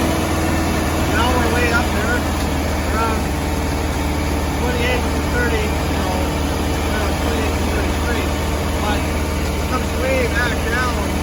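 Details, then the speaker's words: 1972 VW Westfalia 1700 Type 4 with dual Solex 34 CB carbs, timing about six degrees after: after a rev the engine holds a steady high drone near 2200 rpm and never drops back to its 600 rpm idle. "and now we're stuck around you know 2200 rpm and it really will never really come down"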